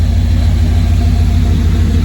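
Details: 1991 GMC truck, hot underneath after test drive following fuel filter change, recorded at exhaust: even steady V8 idle, regular low thump, no leaks or misses; owner suspects rust in original gas tank.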